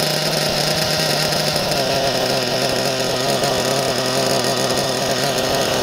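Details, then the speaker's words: Nova B3 nitro RC buggy engine running cleanly, a high buzzy steady two-stroke scream with no stumbles; normal running. "it was it was running like a dream then for a minute"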